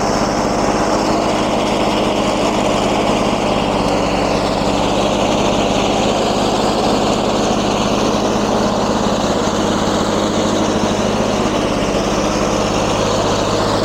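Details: 1994 Lawn-Boy 10650 commercial self-propelled mower, 6.5 hp two-stroke, air box cover missing: steady buzzy drone at even speed with no misses or knocks; running healthy.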